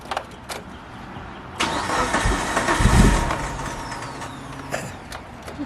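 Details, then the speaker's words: Mitsubishi Evo 8 first start attempt after 8 years: starter churns about two seconds, never fires; fuel rail dry, 255 in-tank fuel pump not working, no fuel delivery. "i mean no gas coming out of there so that's that's why we're having issues trying to start this car up"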